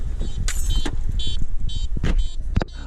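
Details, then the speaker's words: Ignition interlock breathalyzer in a Pontiac G5 beeping while driving: high, bright beeps about twice a second over a low idling engine rumble. The unit keeps beeping even when unplugged, until it is removed. "if you notice the problem i was having is if you drive with this you could hear that beeping this beeps"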